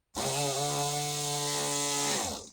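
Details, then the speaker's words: Rotary tool that stopped working, motor tested on a different negative connection: steady low-pitched buzzing hum about two seconds then winding down, sounds half dead versus stronger connection; motor running weak, low speed, poor connection suspected. "You can hear the difference in pitch. That sounds like it's half dead."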